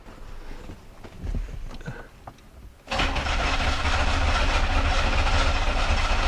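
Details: Owner thinks it is a 1991 or 1992 Olds 98 with a no-start, cranked with a noid light on an injector harness. The starter beats a steady, fairly even 3.5 per second and never catches; the light flashed, so the computer is commanding the injectors; cause unconfirmed.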